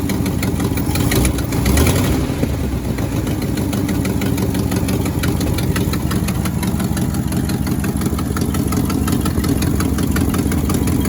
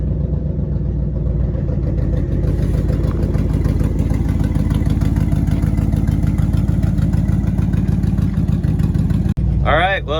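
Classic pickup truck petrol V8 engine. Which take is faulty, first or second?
first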